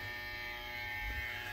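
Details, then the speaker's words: Electric brake magnets on a new trailer build, energized through the brake module and heard close up during a wiring test; a steady, even buzz with a thin high whine and no rhythm, so the brakes energize. "so just a quick close-up of what's going on at the module we can hear the brakes a bit energized"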